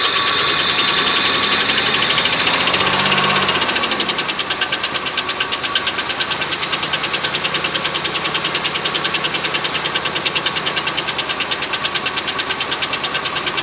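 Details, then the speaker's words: Oldsmobile Silhouette van, jump-started, idling: a sharp, even tick about three times a second over an uneven idle. Owner thinks it seems too high-pitched for rod knock but isn't sure; the cause was a loose rocker arm bolt causing noise and misfire. "Well, I think I'll have to do some investigating and see what that knock's all about. It's seems kind of high pitched to be a rod knock, but I don't know."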